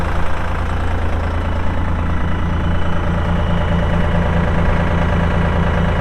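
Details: 2004 AGCO GT45A 4WD tractor, 52 hp diesel, 111 hours: steady low diesel clatter at an even idle, firing pulses regular and unhurried with no knocks or misses; normal healthy idle.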